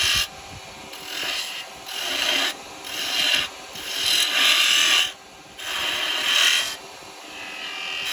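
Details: Record Power 1/4" spindle gouge cutting wood on a lathe after being shortened and reground: repeated rasping cuts a few seconds long, clean and even with no squeal or chatter; a smooth cut.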